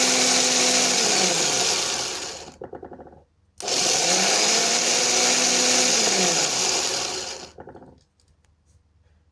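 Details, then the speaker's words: Replacement used starter motor on a car whose original starter was diagnosed by clamp-meter waveform, with current dropping to zero and worn brushes. Two bursts of shrill whirring spin up fast, hold steady and wind down cleanly: a normal, healthy starter spin. "شوفوا اللي الديمارور بتاعنا ممتاز"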